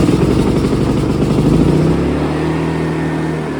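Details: AIVolt AS8000411 generator with new battery, inverter board and stepper motor, CO, oil and low-fuel sensors disabled: catches and runs unevenly a couple seconds, then sags and dies; keeps shutting off after starting, cause unknown.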